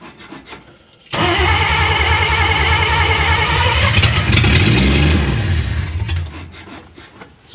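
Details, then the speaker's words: Willys FC-170 Jeep truck starting after sitting, revived with a battery, cleaned points and gas: the fuel pump clacks, then the engine catches abruptly and runs rough and raspy with an exhaust leak. "it's a runner it wants to run all right [Music] like i say mild exhaust leak okay"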